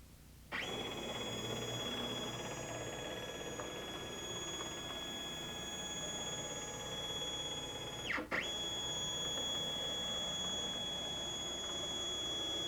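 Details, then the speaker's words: Stepcraft 2 840 desktop CNC, NEMA 17 stepper motors, at 100% jog speed: steady high-pitched stepper whine with clean, even tones, briefly dipping at the reversal. Normal, healthy jog. "If you've never run your machine before, this is what it should sound like at 100% jog speed."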